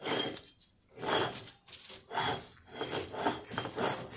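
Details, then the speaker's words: Wheel bearing turned by hand: a rough, gritty rasp that swells and fades about once a second; the bearing is worn out and must be replaced. "Se oye muy feo porque El balero ya está descompuesto"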